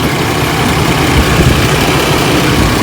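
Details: 4.3L Vortec after oil pan gasket replacement idles with a steady, even low rumble and no knocks, misses or ticks; a slight exhaust manifold gasket leak is suspected.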